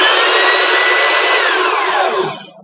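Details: 503 belt sander after a rebuild with brand-new brushes that still need to seat: steady, high, even motor whine with no growl or clacking, then a clean coast-down; no commutator arcing, motor healthy.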